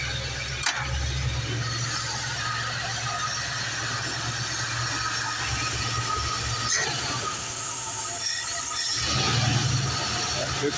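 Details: 1975 Ford F150 351M V8 (bored 30 over) after replacing broken valve spring on number 3 cylinder and fresh valve cover gasket: steady, even idle with a hiss over it, no stumble or dead beat; firing on all cylinders.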